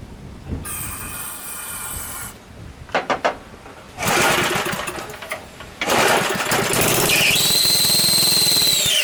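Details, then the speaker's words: Free Briggs & Stratton small petrol engine running with a harsh clatter and a high screech from the recoil starter, after a jammed coil and a sheared flywheel key were fixed; lubing the recoil later cured it, and the carb/tank still need cleaning. "the recoil thing I know you can hear that screeching it's it's not good"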